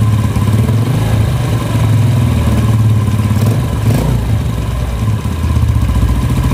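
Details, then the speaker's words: Yamaha Vega R New single-cylinder motorcycle, noisy engine when throttled slightly: loose, fast klak-klak clatter over a low, lumpy idle, loudest at the clutch; mechanic suspects clutch housing rattle. "oke ya jadi bunyinya itu klak klak klak klak klak klak klak klak klak laki-laki itu temen-temen apa penyebabnya dan masalahnya dimana oke ya kita analisa dulu menurut saya ini di bagian kopling"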